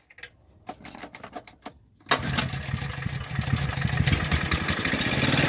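Some clicks, then at about two seconds the motor catches and settles into a steady, even run.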